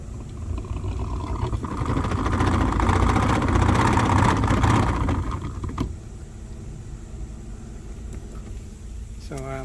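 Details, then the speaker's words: 2016 Toyota Sienna cabin AC fan making a loud, rough roar with low rumble, dropping away when switched down; worn blower motor. "so if you turn on the fan you can hear that the blow no motor is making loud noise"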